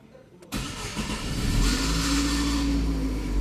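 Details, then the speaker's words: 2011 Chevrolet Prisma (same as Corsa/Celta) cranking: a harsh metallic scrape over the crank before the engine catches, diagnosed as a faulty starter motor. "Beleza, deu para ouvir aí direitinho. Defeito no motor de partida."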